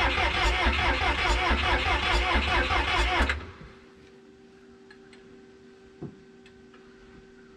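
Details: 1986 Lull 644-TT-34 Highlander II telehandler, sat many years, fuel now reaching cylinder one: steady starter cranking at about two to three compressions a second for three seconds, never catching, then quiet.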